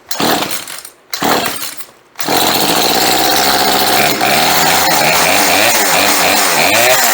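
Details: Chainsaw started after sitting 4 or 5 years, fuel lines replaced, choke off: catches after two pulls and settles into a slow, slightly loping, wavering idle; idle speed set too low before carburetor tuning.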